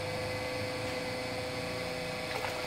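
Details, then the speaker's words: Water pump being primed while a foot valve is fitted, drawing water up the suction line, which took about 13–14 seconds: a steady motor whir with a hollow, airy rush and a faint tone while still running dry, before the water arrives. "jadi air tadi itu dihisap dari bawah sini Hai dari bawah sini terus naik ke sini"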